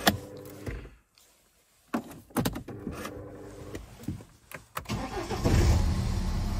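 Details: BMW E87 (1 Series) diesel with a crank-no-start fault, codes 4680/41AA/4AFB, and start/stop not working. Cause was a shorted sensor pulling down the 5 V supply. With it unplugged, short starter bursts, then it catches near five seconds and runs steadily: a normal start.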